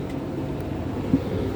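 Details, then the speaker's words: Hotpoint First Edition TL51 tumble dryer, 5 kg drum, possibly from September 1999, secondhand, on cool-down: low steady drum rumble with slightly rough edge, no knock; a bit noisy, cause unclear. "and it's a little bit noisy because I got this from my auntie."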